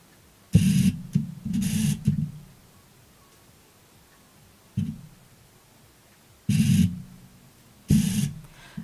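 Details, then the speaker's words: Canon 200D (Rebel SL2) default kit lens with continuous autofocus, recorded through a Rode VideoMicro mounted on the camera: four short bursts of buzzing whir, only slightly reduced; loud autofocus motor noise. "As you can see or hear, you can still hear the noise of the autofocus. It's not that great. It's reduced just a tiny bit less, maybe because my lens is really noisy."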